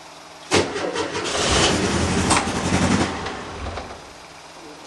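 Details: 1975 VW Type 2 campervan with a new battery, not started for weeks, fuel pump primed: starter cranks for a few seconds with ragged churning and no clean catch; hard starting.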